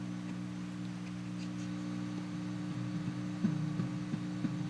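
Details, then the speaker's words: Valco Chicago 51 6V6 tube practice amp after replacing a corroded 6SL7 preamp socket, original tube reinstalled: low steady hum with a few soft, dull thumps when tapped, mild normal microphonics. "now you can hear just a little bit of microphonics hear that boom boom"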